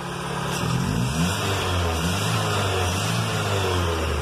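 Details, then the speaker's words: Chevy with black smoke and hard cold starts, after the too-high fuel pump pressure was lowered: clean rises and falls through a few blips with no stumble or hesitation; it revs freely. ECT and O2 sensor replacement still pending. "se escucha bien entonces nos ayudó bajarle la regulación al la bomba de gasolina estaba muy alta"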